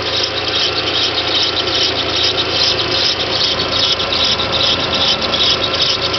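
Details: VW/Audi 1.8T on a cold start after sitting overnight, just after a timing belt job: high scratchy squeak pulsing two to three times a second over idle for 3–5 minutes; cause was the seized small timing belt tensioner idler bearing.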